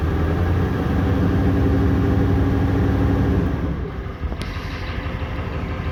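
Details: 1994 Ford 7.3L Powerstroke pickup that sat 4–5 years, with a long crank before starting: even cranking for nearly four seconds while ICP pressure slowly builds before firing, from a leaking oil reservoir check ball.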